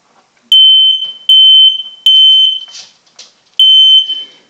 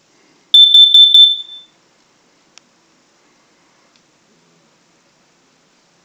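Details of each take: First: Household smoke alarm test: loud high-pitched beeps near 3 kHz in four bursts of roughly three-quarters of a second each, sounding cleanly; alarm working normally. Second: Household smoke/carbon monoxide detector test in a house: two bursts of rapid shrill beeping, about a second each and six seconds apart, its normal test alarm pattern. Afterward the detector resets, with its light going solid again after about a minute.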